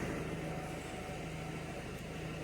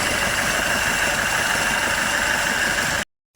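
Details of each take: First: Citroen Nemo diesel that would not start; it had been filled with petrol and had a split pipe. Now a steady, even diesel idle with a low hum and no knocks or misses, running much better. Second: Citroen Nemo diesel: uneven lumpy idle with harsh clattery hiss; running badly from petrol found in the diesel fuel plus a leaking pipe.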